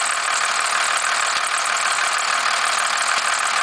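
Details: 1991.5 first-gen Cummins 12-valve diesel, cold start around -10, slight squeal: harsh clatter with a recurring knock three to four times a second at idle; source not identified, knock at idle.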